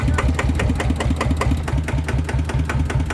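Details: RT100 two-stroke motorcycle at idle before an engine oil change: a low, burbling idle with a loping beat of about two or three pulses a second, a healthy, settled idle.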